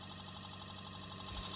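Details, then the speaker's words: Bedini pulse motor circuit after replacing a transistor burned out by wrong wiring and adding a second neon bulb: with proper tuning it runs with a faint, steady hum, smooth and even, and the transistor stays cool. "so the transistor is fine now and you can hear it flying that's because I have tuned properly so the transistor is not getting hot"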